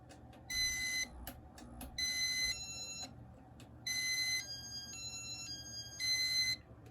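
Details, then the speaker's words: 1984 Casablanca Victorian ceiling fan, first-generation RMM1 IntelliTouch control, after running a while: sharp piercing half-second beeps of shrill tone clusters over low fan hum; beeper gets much louder and higher-pitched, cause unknown. "So after this one's been on for a while, it just gets, the beeper gets much louder. I don't know how that works."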